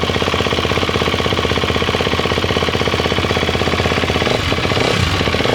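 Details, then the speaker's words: Husqvarna FC250 after top-end rebuild with new top gasket, first start: quick, even single-cylinder thumping at steady idle, no knocks or ticking; engine runs quiet, no leaks. "Okay! Ayan, pakinggan yung makina kung gaano katahimik."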